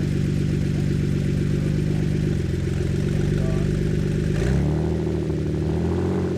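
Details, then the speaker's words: Aging Ford Flex V6 idling around 1000 rpm with both front flex pipes removed, exhaust open ahead of the catalytic converters, 32°F snowy day: deep, loud, throbbing rumble that swells with a light rev; open exhaust before catalytic converters. "so let's see what this sounds like with uh an open exhaust per se [Music] I kind of like it it sounds really deep and really gnarly [Music]"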